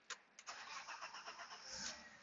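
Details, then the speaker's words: 1993 BMW 325i convertible after fixing crank-no-start (spark but no fuel, main relay not energizing to power fuel pump relay): short crank, catches quickly, settles into even idle; starts and runs normally. "as you can see car runs we got our PM's and everything"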